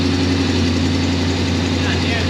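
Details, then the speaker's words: 1957 Chevy small-block V8 just after first start, in neutral: a steady, smooth, even low rumble with no knocks or misses, quieter than expected; normal idle. "I thought it'd be way louder."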